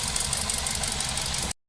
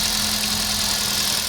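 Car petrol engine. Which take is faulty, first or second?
first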